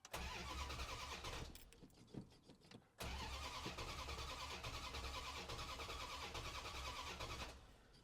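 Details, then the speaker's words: 1971 Plymouth Satellite 318 V8 with a newly fitted Thermoquad carburetor: the starter churns steadily for seconds without the engine catching; hard starting. "Huh, the other carburetor usually started right away. Do you want to pour the rest of that? That might be bad gas."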